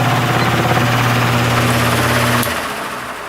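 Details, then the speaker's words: Repaired spare plastic Marco motor with blade from vintage Lasko/Galaxy box fan on high: steady even hum with airflow rush, then winds down when switched off; 1.92 A (rated 2.2 A, within spec), 153 W; normal running. "So there it is, running on high, and we're pulling 1.92 amps. These are rated at 2.2 amps, so it's within its specification, and 153 watts power factor."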